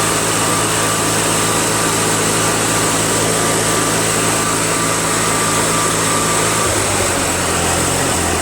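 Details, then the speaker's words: Toro 616Z zero-turn mower twin-cylinder engine, checked because it sometimes runs on only one cylinder: smooth, even, fast running with no misses; sounds like both cylinders are firing; sounds fantastic. "Sounds like both cylinders are working. Sounds great. It honestly sounds fantastic."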